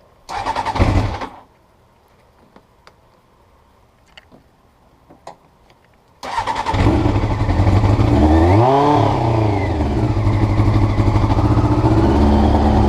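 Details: Honda CBR motorcycle recorded before changing the float needles: it catches after a short crank, revs, then hunts at an uneven, lumpy idle; rough idle, cause suspected, not confirmed.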